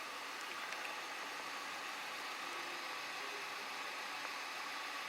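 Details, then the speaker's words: Hyundai i30 right after an air conditioning gas recharge (it arrived low on gas, no leak found), window open, vent reading 5.6 degrees: quiet, even blower and compressor hiss with no cycling or rattles; normal AC operation. "com a janela aberta, ar-condicionado se comportando normalmente, de forma normal."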